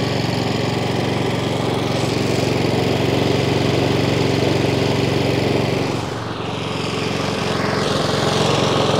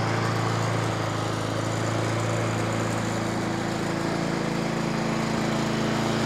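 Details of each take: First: Three-week-old Honda Izy mower (GCV145X engine, auto choke), used only twice. It runs steadily, then after a minute or two sags and picks back up every few seconds; hunting, fixed by carb service. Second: Nearly new Honda Izy mower, GCV145X engine, brought in for hunting, after carb service and fresh fuel: steady, even small-engine beat with no surging or hunting; runs cleanly and smoothly.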